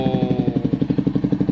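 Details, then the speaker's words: Motorcycle running after its self-starter was fixed at home; a crisp, regular beat of about ten pulses a second with no knocks or rattles. The engine runs normally. "গাড়ী start হৈ গ'ল ন এতিয়া বিন্দাছ চাব পাৰিছে"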